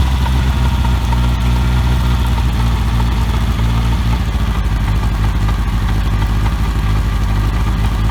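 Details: OMC 2.5 L 140 hp sterndrive in a 1981 Sea Sprite, on water muffs after sitting since winterizing, warming up: a deep, steady, even idle with no misses, knocks or rattles. Quiet, smooth, normal idle.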